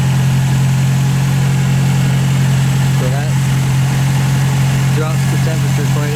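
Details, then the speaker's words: 1951 MG TD restarted hot in neutral, once a heat shield had been fitted against vapor lock; the fuel pump ticks to build pressure, then a steady, even low hum with no misses, stumbles or knocks. Normal warm idle, and the heat-shield fix worked. "so you can tell the pumps going and then it stopped to build pressure and now it's done and here we go it's in neutral it worked heat shield work"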